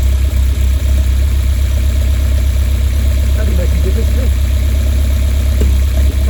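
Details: Westfield with Ford Zetec Blacktop engine at idle: low, lumpy, uneven idle with the odd stumble every few seconds; misfire, cause unknown.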